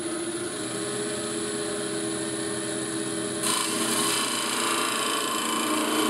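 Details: Wood lathe, skew chisel on a thin spindle: buzzing, humming cut that turns harsh as the thin piece flexes and chatters; speeds of 1400 and 2600 rpm tried to reduce the vibration.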